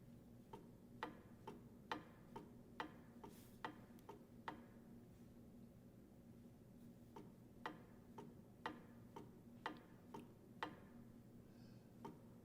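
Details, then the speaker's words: Differential ring (bevel) gear rocked against pinion to measure backlash: paired sharp light clicks about two a second as clearance is taken up, normal; reading 0.080 on the dial indicator. "we want to hear it bottom out or take up that clearance so we want to hear the click click or the clunk clunk sound we don't want the bevel gear to rotate as we do this more than just the clearance so that sound is a good indicator"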